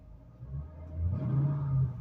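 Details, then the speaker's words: 2008 Mustang Bullitt with 189,000 miles, light rev on a test drive: smooth rise and fall, mellow, not very loud exhaust, no misses; the rattle heard on take-off is absent here; normal healthy rev. "It doesn't have a real loud exhaust. It sounds pretty good though."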